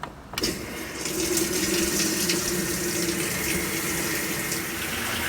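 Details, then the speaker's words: Hotpoint top-load washer in service diagnostic mode, start of water-level pressure test: click then steady hiss and splash of tub filling without faltering; fills normally. "Alright, now we can do the pressure test. I don't think there's anything wrong with this, but I'm going to go ahead and check it anyway."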